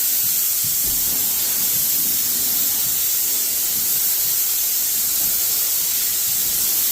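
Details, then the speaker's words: Graco Magnum Pro X17 airless paint sprayer, first test spraying a wall: loud hiss from the tip eases then builds back as the pump replenishes released pressure, rising and falling; normal spraying operation. "you can kind of hear the flow it like it like makes a really loud hissing sound and then it slowly uh dies down for a little bit and then comes back that is the pump replenishing any pressure that you've already released"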